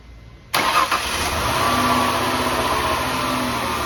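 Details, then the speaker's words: 2003 Mazda Tribute (Ford Escape) 3.0 V6, restarted after fuel injector O-ring and upper plenum gasket job for fuel odor at idle: fires at once, smooth idle with faint steady whine drifting in and out; intermittent alternator whine, repair put off. "still got that alternator wind comes and goes it's a fun job so I'm been putting it off until it's a real problem"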